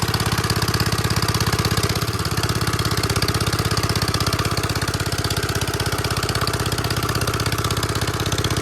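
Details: 1946 Gravely Model L single-cylinder, revived after about five years unused, started on ether with a suspected faulty carb float, in neutral at mid throttle: crisp, even chuff near three beats per second, no misses or knocking; running properly.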